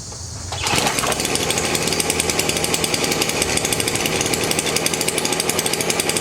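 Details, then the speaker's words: Stihl BR400 leaf blower, about 20 years old, after replacing the flooding carburetor with a cheap aftermarket one; fires on the first pull straight to a steady, even high-pitched buzz, no sputter or hunting, normal start and run. "Well, I've been able to fix this problem on my leaf blower, and I'm going to show you how I did it, and it wasn't very expensive, so here we go."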